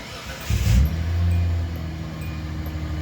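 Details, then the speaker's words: Hyundai Santa Fe after fuel tank and fuel pump replacement, about 2.5 gallons in, rear on ramp, exhaust off: catches first try with rev flare, settles to steady, even idle; starts cleanly, no leaks. "Started right up. It's working. And it's not as not as loud as I thought it was gonna be without the exhaust."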